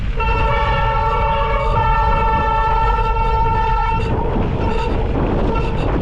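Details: SRAM Centerline bicycle disc brake squealing: a loud, steady, reedy honk lasting about four seconds over wind rumble.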